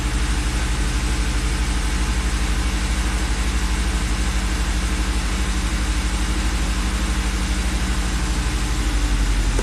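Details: Volvo XC70 right after start-up following cam cover bolt repair and timing belt check: steady, even idle beat around three per second with no ticks, knocks or stumbles; engine healthy, no trouble codes.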